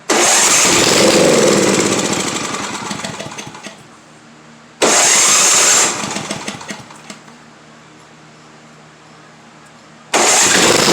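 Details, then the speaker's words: Simplicity 7524I snow blower with a Briggs & Stratton 7.5 hp engine, fresh fuel, primed, already hot: it bursts into running then fades and stalls within seconds, three times over; it starts then dies, and the owner suspects the lower half of the carburetor. "nope it doesn't want to stay running it doesn't want to stay running"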